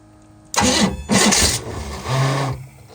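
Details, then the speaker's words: Sleek Craft jet boat (about 19 ft, 454) sitting for years, first start attempt with fuel pump on: two short labored cranking bursts and a low groan that never catches; weak starter, something sounds horrible, drive grease fitting suspected. "That starter is not doing good. Up the spring. Come on, Dad. Something sounds absolutely horrible."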